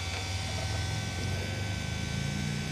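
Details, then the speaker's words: CAT 420F backhoe during service, key on: steady low electric buzz from the fuel lift pump priming, filter bowl filling normally to purge air before starting. "You can hear that pump working. It's working right now. You can hear it buzzing."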